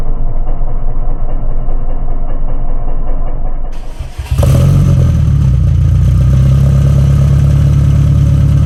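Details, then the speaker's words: Subaru Impreza STI Spec C, 194,140 km, developed noise and white smoke during a circuit run before tyres warmed: rapid rattling knock over the engine drone, tracking engine speed; engine knocking, overhaul possibly due. "オーバーホール時期が来ていたのでしょうか。カタカタとエンジンを叩く音がします。"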